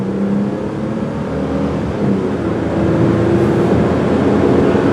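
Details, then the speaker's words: 2000 Ford Windstar SEL minivan with electronic overdrive, test drive under hard acceleration: engine note climbs smoothly and evenly to 50 mph with road and wind noise, no knocks or misses; runs healthy. "See, 50 miles an hour, no problem."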